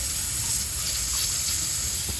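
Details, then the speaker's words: Evcon 3-ton (36,000 BTU) R410A condensing unit with a microchannel condenser coil, not cooling: a steady, airy high hiss of refrigerant escaping. The leak was found with an ultrasonic detector and confirmed with soapy water bubbles at the coil. "she's blowing bubbles she's blowing bubbles wow pretty good stuff huh we've been here for about 20 minutes already found the leak"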